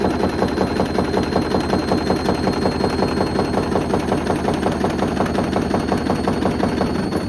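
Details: Hoover Link HL1682D3 washing machine, badly damaged, door seal twisted, run on spin: hard rapid banging about three times a second with each drum turn, whole loose cabinet rattling violently, extremely loud; still works.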